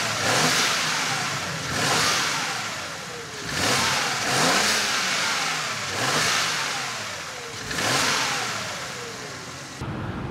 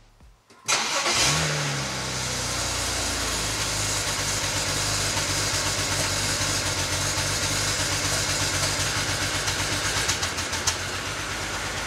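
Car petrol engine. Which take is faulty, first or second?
second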